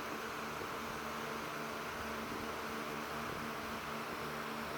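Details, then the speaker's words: Vintage Windmere (Kuo-Horng, Taiwan, late 80s/early 90s) 16-inch oscillating desk fan NR-16/413, bought at an estate sale, started on high; steady even rush of air, low motor hum, no ticking, rubbing or wobble. Normal high-speed running. "so start it up on high it's a pretty powerful fan actually"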